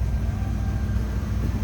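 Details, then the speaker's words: 1971 Chevrolet El Camino, 5.7 made into a 383 stroker per previous owner, heard from inside at idle: smooth deep rumble, no ticks, misses or exhaust blows, nothing over the top; normal V8 idle. "Nice running car. Sounds good. No crazy exhaust, anything too loud over the top."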